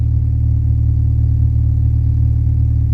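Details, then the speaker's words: Used car exhaust checked before test drive, engine running: deep, even exhaust drone with no stumbles or skipped beats; smooth, healthy running. "if you don't hear anything and it sounds smooth when you go like this then you're good um look around listen to the exhaust see how smooth that sounds"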